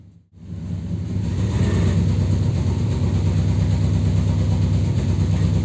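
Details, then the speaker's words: 2002 Dodge Ram after engine wash, check-engine light flashing: deep uneven loping idle about three pulses a second with a blowing sound at the exhaust; cylinder misfire, likely water in the spark plug wells. "El escape se escucha una especie de soplido. Lo que veo que le lavaron el motor y bueno, ahí la causa del problema o lo que ocasionó el problema de la falla de cilindro."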